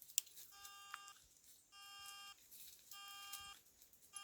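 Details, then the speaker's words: Fully charged Cruiser wireless headset that won't connect: clean high beeps in half-second bursts about every 1.2 seconds with quiet gaps after power-on, instead of pairing. "Something's wrong with these cruiser headset again. I can't get it to connect. It's doing something different now. Now when I turn it on, it just starts beeping."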